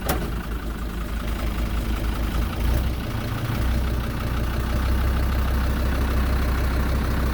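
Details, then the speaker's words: Kubota M120 tractor, fire-damaged wiring rebuilt, after swapping the bad computer: steady deep diesel rumble holds even as the tractor pulls away, no knocks or misses; running normally. "we're moving folks this is awesome so makes your reverse works yes sir it does awesome"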